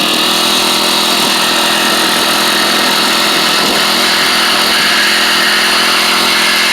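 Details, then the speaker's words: SEDEG 4-stroke 1.5 hp air-cooled outboard after 50 miles, revved out of the water without prop load; steady high-revving buzz with a light dry racy rattle from the centrifugal clutch, normal and not a concern. "so you'll hear this this racy rattle that's the centrifugal clutch and um and that's just the noise it makes i wouldn't let it concern you"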